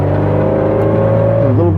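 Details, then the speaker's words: 1960 Austin-Healey Bugeye Sprite pulling in first gear at low speed: a steady low growl with a faint whine, louder than typical for British cars, from wear in the first-gear cluster gear. "This one has a little bit of wear in the first gear. You can hear You might be able to hear"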